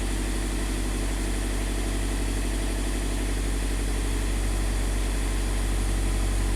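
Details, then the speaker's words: 2015 Scion FR-S 2.0 L boxer, warming up after swapping in new bank 1 intake cam solenoid: smooth, even idle with steady low hum, no misses or hunting; bank 1 intake cam timing now stable. "Okay. So bank 1 intake is now happy."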